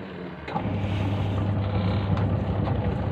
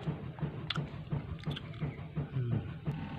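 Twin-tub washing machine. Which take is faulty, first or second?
second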